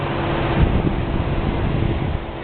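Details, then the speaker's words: Xpelair WX12 extractor fan with FR12 controller, old motor oiled: clunk of the solenoid at switch-on (shutters don't fully open), then even low whooshing hum on low speed extract; runs smoothly, pulls a lot of air. "It pulls a lot of air."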